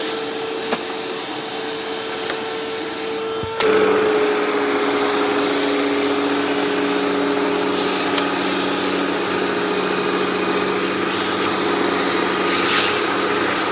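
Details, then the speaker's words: Eureka The Boss Smart Vac 4870 GZ upright vacuum with replaced belt and wooden brushroll; steady motor whine with coarse whirring brushroll on top, runs smooth otherwise; noise mostly from brushroll. "this thing does run pretty smooth the only amount of noise this thing makes is mostly coming from the brushroll"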